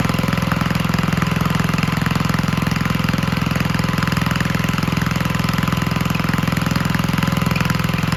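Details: 1951 Gravely Model L single-cylinder garden tractor, running on a backup magneto that replaced the weak-spark original, putts evenly with no misses or stumbles; the fuel system was cleaned earlier, and it needs only minor adjustment.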